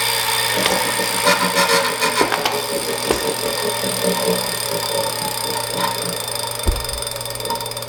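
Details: Wahoo Kickr Core bike trainer, about 2,500 miles: high steady whine with rough scraping and rattling over spinning flywheel, started suddenly; bad bearing suspected.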